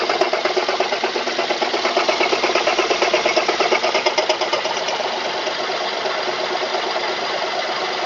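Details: Mazda 3 engine at idle: steady, evenly spaced tapping knock of nearly three beats per second over the engine hum; owner asks what it is, cause unconfirmed.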